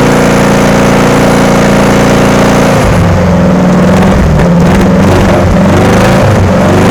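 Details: VW engine in Sterling kit car, first runs after static timing and adjusting loose valves: steady at first, then an uneven stumbling beat, rough running; owner plans to sort the wiring and is unsure the fuel pump works.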